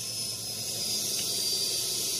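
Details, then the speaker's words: Honda FD 1.8 VTEC with hard starting, fuel pressure test reads only about 30 psi versus 45–50 expected and does not hold: steady high sharp hiss; fuel leaking back inside the pump. "Para may singaw. Yun yung problema niyan."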